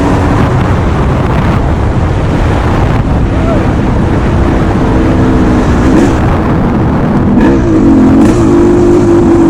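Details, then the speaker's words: 1989 Suzuki RMX 250 two-stroke dirt bike, warmed up, on its first off-road trail ride with a new, correctly jetted carburetor: crisp, buzzy two-stroke note that holds steady and picks up cleanly with throttle, no misses or knocks. Runs and sounds really good. "So like I say, it runs really good, sounds good, suspension feels good."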